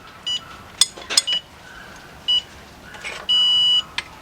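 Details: Ford EcoSport/Fiesta/Focus 1.0 turbo engine, timing belt and oil pump job, crank bolt angle-tightening with breaker bar: short high chirps between ratchet clicks, then one longer steady beep; angle gauge signalling normally.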